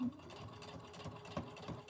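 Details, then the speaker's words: Brother Innovis A150 sewing machine, 3 mm stitch length, thick fleece layers plus one denim layer; quiet even needle rhythm with occasional soft thump, going through fine: normal sewing sound. "That's going through absolutely fine. A little bit of thumping, but nothing untoward, nothing that I would worry about."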